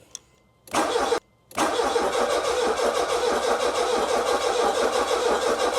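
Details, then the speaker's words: Jaguar X-Type crank no-start: starter spins engine evenly, never catches, no fuel pump hum; relay gives pump output while cranking, fuel pump under back seat found seized. "so basically everything's working apart from the fuel pump it could be out fuel um but I can't hear the fuel pump but because it's only coming on when you're crank it maybe we're not we're not hearing it"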